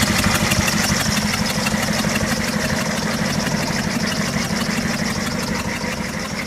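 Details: 6.5 Detroit diesel at idle: uneven, stumbling clatter with a lumpy beat instead of a smooth run; running with a misfire, one cylinder missing.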